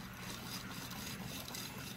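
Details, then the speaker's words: 2000 Saab 9-3 with 2.0 turbo engine, A/C compressor removed from car: dry, gritty grinding rasp as the compressor pulley is turned by hand, the reason for replacing the compressor. "you can hear it grinding a little bit that's why we're here folks"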